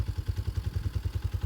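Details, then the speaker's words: 2021 Tao TBR7 250cc dual sport single after top end rebuild, EGR removed and capped: even thump about seven beats a second at idle, steady and quiet with no ticking or clatter; sounds pretty good. "It's another little modification I did, but other than that, sounds pretty good."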